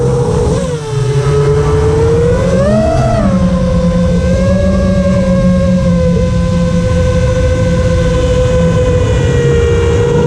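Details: FR7 FPV quad after tuning with D-min removed, Iterm relax cutoff 10, RPM filter on: smooth clean whine rising and settling with throttle, steady pitch through hover, no raspy resonance that D-min had caused; motors healthy.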